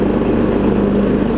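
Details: Troy Bilt Pony riding mower after its no-start was fixed (loose starter solenoid connection, new battery), with new blades: steady, even drone while driving with blades turning, no surging, misses or rattles; normal running under load.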